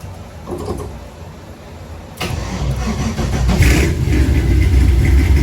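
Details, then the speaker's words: 1964 Chevy II Gasser with an LS swap and Holley Terminator X, first start after the reversed coil pack harnesses were fixed; a deep lumpy loping big-cam idle set at 950 rpm with 800 wanted, idle air control open about 60%. Normal idle. "Oh, it runs, I love it. It's actually idling, so I'm just gonna leave it alone. I set it at 950. I'd like to hear it about 800."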